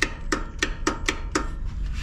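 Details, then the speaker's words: Zero-turn mower that starts intermittently, key turned: six sharp clicks about four a second with no cranking, so the solenoid engages but the starter motor doesn't turn; the starter was eventually replaced. "today we have a lawnmower here that is having trouble starting it's actually finally just stopped I believe the starter has gone bad but we're going to diagnose it today when I turn the key it does click"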